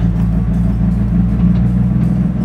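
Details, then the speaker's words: Truck on road limping home slowly, engine previously seized a couple of times, noisy off throttle: low, heavy drone with uneven, lumpy beat getting worse; rough running, cause unknown. "not too pretty sounding though man she's only sounding worse just listen to the same wow"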